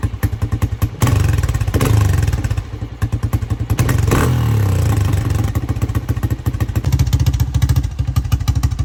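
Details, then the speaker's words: 1985 Honda XR350R single-cylinder four-stroke, revived after sitting outside 6–7 years, first ride after carb overflow leak fixed: uneven pulses and stumbles under throttle; runs and rides but carburetor still needs adjustment. "It does run and ride, and it's a pretty solid bike. The carburetor still needs some adjustments, but for now, I think we'll leave it the way it is until we can dig back into it a little bit in the future."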